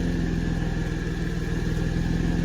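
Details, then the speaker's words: 1991 Mercedes 190E at idle after rear exhaust section work: deep pulsing rumble with a faint steady high-pitched whistle from exhaust leaks at a bad resonator donut and seal, plus a leak up front; the rattle is gone. "So I have a leak there, there's a leak up front, and that's that. But at least it doesn't rattle anymore, so it's just like rumbles"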